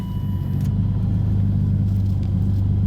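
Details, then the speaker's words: 1998 BMW M3 E36, 3.2L straight-six with aftermarket supercharger, codes P0170/P0173, stalling; cold start after cleaning MAF, warming toward closed loop: deep even idle with steady beat, no misses, hiss or ticking, normal idle. "idling nicely and like I say I'll fire up the scan tool as soon as it goes into closed-loop"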